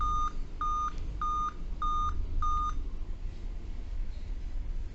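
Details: Dell Vostro 2520 laptop (DV15 MLK motherboard 11280-1), continuous beeping despite correct date and time: five short clear high beeps, pause, repeat; five-beep code tied to RTC section and PCH RTC power, RTC rail measured about 3.2 V.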